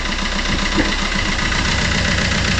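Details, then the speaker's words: Fiat Qubo 1.3 Multijet diesel after timing chain reinstallation: uneven, lumpy idle with knocky clatter, heavy smoke and diesel smell, as if running on three cylinders; rough idle, missing cylinder suspected, not confirmed. "s'il démarre sur trois pattes en plein hiver parce que tu vois il fume beaucoup là et ça pue le ça pue le gasoil"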